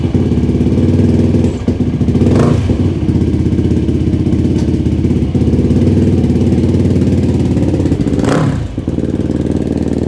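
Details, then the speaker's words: Yamaha YFZ450 rebuild after carb re-jetting, air screw 3 turns out, OEM gas cap refitted over suspected vapor lock, hot 96° day: crisp single-cylinder thump with two clean rev blips; runs well, though owner feels it is not fully dialed in. "Man, it seems to run pretty good now."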